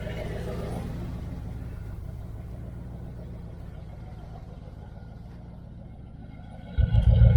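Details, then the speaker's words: 1978 Dodge Aspen R/T V8 after the new exhaust was welded and tucked up, crossover included: a deep, even idle burble with a quick rev blip and no puffing or ticking. It no longer leaks and sounds like a Chevelle. "It kind of sounds like my Chevelle. Though the Chevelle, I think I got like 2-chamber mufflers on there. Sounds really good."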